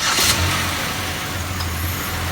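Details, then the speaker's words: Car that would not start with an empty tank and no fuel pressure, after adding 2–3 gallons and getting fuel pressure back: the engine catches cleanly, runs steadily and revs smoothly with no misses or knocks; it starts and runs normally with fuel. "car runs with fuel."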